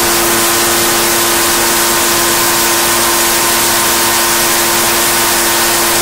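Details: Echo PB-755ST two-stroke backpack blower, bought new two years earlier, after fresh fuel and carburetor adjustment with air filter on (it had been bogging and dying under load); high steady full-throttle scream with airy rush, no surging or bogging, running normally.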